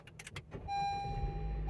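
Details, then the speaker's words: Honda CR-V starting on a newly programmed key (Autel IM508): a few clicks and a steady chime, then the engine catches and settles into a low, even idle; normal start. "Vehicle starts. All right, give you guys a view of that. Okay, the vehicle is started."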